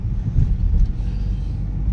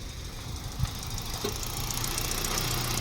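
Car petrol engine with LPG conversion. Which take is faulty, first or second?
second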